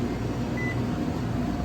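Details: Electro Freeze pump motor energised after a bad relay was found: a steady low hum with no run-up in speed, so it fails to start. It ran when push-started with the head switch jumped; the capacitor is still to be checked, and a bad motor is suspected.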